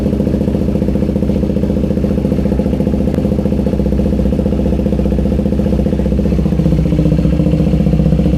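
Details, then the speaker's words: KTM Duke 390 V2 single, sat unused over a month, stuck fuel pump revived by tapping: starts and idles with a steady thump about four beats a second and even mechanical chatter; normal idle. "Okay na yan. Naandar na. So yung problema lang is yung kanyang fuel pump."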